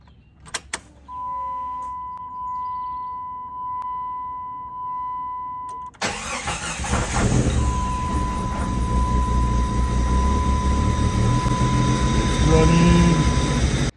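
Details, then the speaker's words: $100 non-running Jeep Grand Cherokee on a temporary 2-gallon fuel cell and makeshift fuel system. After the warning chime it cranks, catches and idles with an uneven, lumpy beat, running rough; owner guesses fuel pressure is too high or too low. "she doesn't sound the healthiest I'm guessing either the fuel pressure is too high or too low but you know what it's going to be good enough for now"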